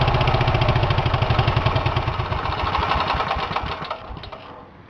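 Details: Engine fired up with cylinder head removed after checking internals for damage: loud, open, ragged chuffing pulses, roughly three or four a second, that weaken and die out; engine running without cylinder head.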